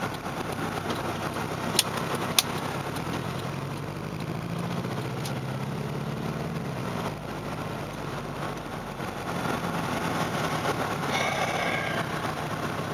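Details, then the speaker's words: Saturn SW2 misfiring while driving, starting about three blocks from home; uneven, stumbling engine note under road noise with beats dropping out irregularly. No check engine light; cause not yet identified. "No check engine lights, no nothing. Just a fucking misfire."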